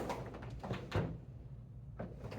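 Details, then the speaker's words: AutoSlide automatic door rack-and-pinion operator after realigning the track to the motor gear to fix gear grinding: door glides shut with a soft motor hum and a light settling thump, no grinding; normal door closing. "And it is going to close the door, and we'll see what happens. And it settles. Fantastic, which means that our system is back in working order."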